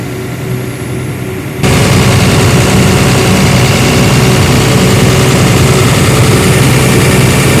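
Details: Airman diesel air compressor, after fixing crank-no-start where fuel pump and starting relay were de-energized (fuse fault): quiet hum, then fires and settles at once into a deep, steady, even idle with no misses or knocks; normal idle.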